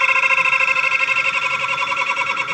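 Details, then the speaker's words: Dryer machine running slow with jammed mechanical seal, started with temporary added capacitor: steady high squeal with fast pulsing wobble as motor strains; noise easing with repeated starts, oiling shaft advised. "आवाज सुन सकते हैं, यह सेल की आवाज है इसलिए अब मुझे यह पसंद है ।"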